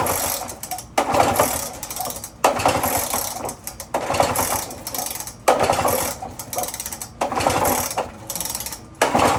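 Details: Lawn-Boy two-stroke mower, pull-start with starting fluid in the inlet: about six rattling pull-cord yanks in ten seconds, engine never fires; owner suspects a bad spark plug. Cranks but won't start.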